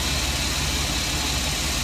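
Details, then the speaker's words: Chevy Express van, 4.3L V6, previously misfiring (P0300, cylinders 5/6). The cause was a bad lifter; all lifters were replaced. Now an even, smooth idle with no stumble and no check engine light. Normal idle. "it works finally works the rest of this should thank God I lost all of my patients with it and my money"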